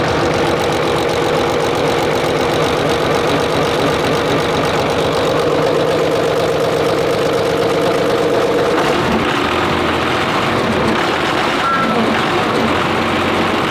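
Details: WWII German Wespe self-propelled gun engine, started after wiring up starter, fuel pump and accessories: rough, loud clatter settling into a steady idle with an even pulse and no misses; running normally.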